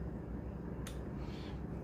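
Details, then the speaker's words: Kawasaki Ninja ZX6R mid-rebuild, new fuel filter fitted, key on with a no-oil warning and kill-switch wiring not yet connected: two sharp ticks about a second apart over a low hum, fuel pump pulsing in bursts instead of running steadily. "But you can hear that's the fuel pump trying, which is weird."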